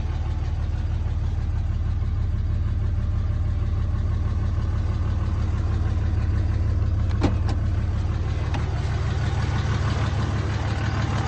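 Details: Replacement short block in a 2003 Cummins 5.9 diesel, a 3500 single-cab dually 6-speed reportedly run out of oil, freshly test-fired: steady, even, deep clatter at fast idle, regular with no knocks or misses; healthy.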